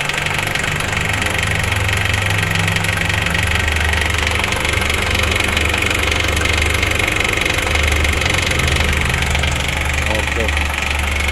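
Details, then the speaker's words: Honda CR-V second generation petrol engine idling with a quick, steady ticking rattle, about four knocks a second; top-end rattle traced to the valve cover and timing chain area, with the timing chain being checked. "2 yang tadi malam bunyinya klotok-kotok ya kita coba bongkar berada di tutup klep terus damper terus deck timing chain nya ya kita cek bagian timing chainnya karena bunyinya di bagian situ"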